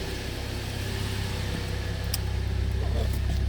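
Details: 2014 Jeep Compass, previously no crank no start with P0600 and P0688, after installing a programmed used PCM, codes cleared: steady low idle rumble with no miss, knock or stumble, check engine light off; normal idle.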